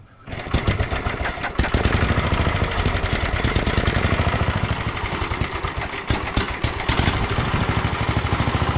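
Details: 1967 Sears Suburban 10 tractor single-cylinder engine, next day after fixing intake vacuum leaks during restoration; starts quickly and settles into a steady, even putter, running pretty good.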